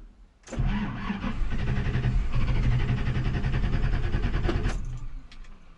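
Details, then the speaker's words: 1985 Chevy K10, 4-inch lift, 35-inch tires, died on the trail after an extreme angle: steady starter churn about three turns a second for nearly five seconds, never catching; owner suspects no fuel, fuel pump cycling sounds wrong. "And it's not getting fuel. I can hear the fuel pump cycling, but it doesn't sound right."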